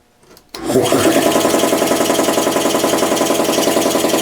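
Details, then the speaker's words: Home-built air compressor, 3/4 hp motor driving a pump meant for 5 hp; steady chuffing about three and a half strokes a second with raspy hiss; pressure leaking past the rings, needs a check valve. "hear that oh the pressure's leaking by the rings i need a check valve"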